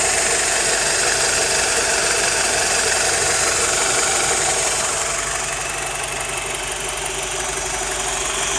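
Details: BMW E87 120i at idle: steady dry, even metallic top-end rattle sounding like a diesel; source cannot be found.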